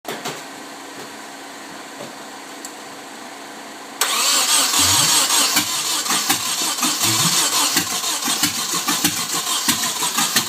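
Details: Nissan 240SX KA24DE with a rebuilt head and 5-speed conversion cranks at about three beats a second but won't start. Timing is correct and there is spark and fuel; it only nearly catches when the gas is pumped with the fuel pump fuse out; battery is low.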